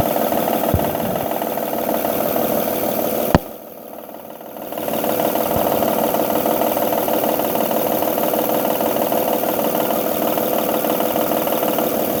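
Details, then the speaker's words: 2005 Honda Odyssey 3.5 L, top cover off, idling; intermittent light knock about three per second, belt surface scuffed — suspected failing timing belt tensioner, before belt removal test. "So the noise is still there. Looking at the belt, and the surface of the belt is kind of scuffed. It's a big possibility that the tensioner is failing."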